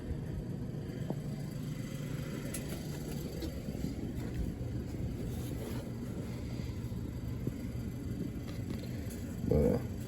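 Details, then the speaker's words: Furnace in a 1989 Ford E350 RV conversion, heater just switched on: blower makes an even, low whooshing hum, blowing cold air with no burner roar yet, before ignition. Normal blower running. "The second I hit the end button, it turned on. Blowing cold air right now."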